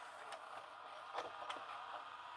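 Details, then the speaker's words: LG FC930W VHS VCR after repair of cassette-won't-load fault, reassembled and powered up; soft motor whirr with light clicks as the tape pulls in smoothly, switch mechanism working, displays play: normal cassette loading. "beautiful it all seems to be operating nicely turning the cassette it even says play"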